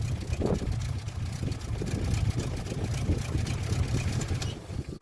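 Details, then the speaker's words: 1957 Chevy with rebuilt carburetor being tuned: rough uneven note with dips and stumbles instead of clean pickup; owner suspects accelerator pump trouble or running low on gas. "It almost acts like it's having trouble with the accelerator pump. That's horrible."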